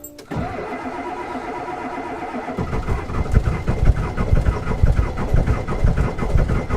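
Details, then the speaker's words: Powerstroke diesel with XDP starter and Odyssey batteries, cold start at about 12°F after cycling: slow steady cranking chug for about two seconds, then catches into a rough, lumpy cold idle; long crank. "probably about a minute and then trying to crank it that's probably a little bit longer than i almost always crank it for without stopping and recycling"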